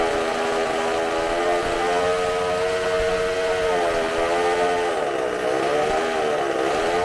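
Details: Bench test of a supercharged McCulloch two-stroke chainsaw engine, carb cleaned and new gaskets, running off tank fuel: steady screaming high-pitched buzz near flat-out, slight wavering; sounds fantastic, healthy, consumes fuel very fast.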